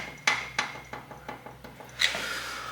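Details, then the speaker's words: Shovelhead top-end noise, engine off: the exhaust rocker arm is rocked by hand, giving sharp metallic clacks about three a second; excessive play on its shaft, while the intake rocker is fine. The fix requires removing the head. "so as you can hear they all have pretty excessive play except this one that intake one's nice but the exhaust"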